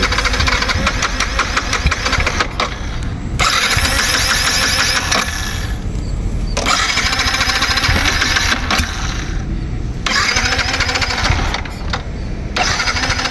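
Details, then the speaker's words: Yamaha MT-15 left unstarted for a long time, with a weak battery and a loose battery bolt: self-starter whirs in long bursts with short pauses and never catches, with light smoke from the silencer. Cranks but won't start. "பாருங்க எவ்வளவு நேரம் try பண்ணிட்டே இருக்கேன்னு பாருங்க start ஆக மாட்டேங்கது."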